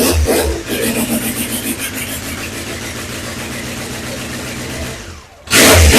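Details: BMW K100 motorcycle on a stand, first run after cleaning the fuses and priming the fuel pump with choke on: engine catches and runs with an even beat and a throttle blip; sounds healthy, running properly.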